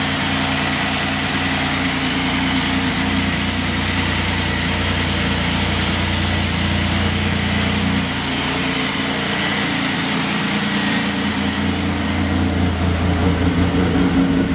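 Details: 1996 Chevrolet Beretta at idle after a timing chain replacement: the valvetrain tick is gone, but a light, uneven puffing tick rides over the steady idle; exhaust leaks.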